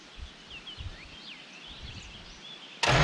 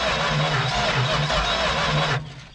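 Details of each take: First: 1970 Dodge Super Bee big block, junkyard car, after a coil replacement with fuel poured in and the starter wire pushed: about three seconds of cranking with uneven chuffs as cylinders try to catch, then it drops out. It sparks but won't start; the battery may be weak. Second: Junkyard 1970 Dodge Super Bee big block, not locked up, cranked by jumping the starter wire: even, strong chugging beats, each stroke pushing back evenly. Cranking with good compression.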